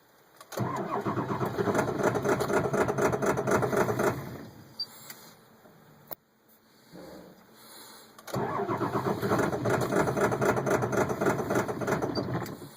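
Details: Ford 7.3 diesel truck, not plugged in: two long spells of cranking at about four beats a second without catching, despite fuel pressure above 50, glow plug relay on and ICP over 2000 while cranking; hard start.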